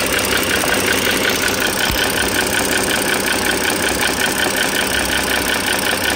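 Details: 2009 Dodge Journey SXT V6 (3.5 L stated, title says 3.6 L) idling, mic close to the engine: sharp, even ticking about three a second from the top end. Owner is pretty sure it is the rocker arm assembly, likely not pistons or transmission.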